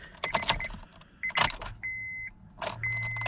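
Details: 2006 Honda Accord LX won't start: key turned with battery charged and fuses and relays good, keys rattle and dash chimes but no crank, at most a faint click; starter motor failed, later replaced with a new starter.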